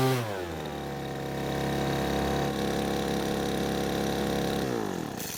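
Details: Poulan Pro blower that stopped running mid-use, after H-screw carburetor adjustment: steady high buzzing at full throttle that holds its pitch without surging or bogging, then winds down cleanly. A loose bolt was later suspected as the cause.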